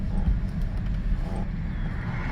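Only low, steady road rumble while driving, no whine or howl rising with speed; rear differential running quiet.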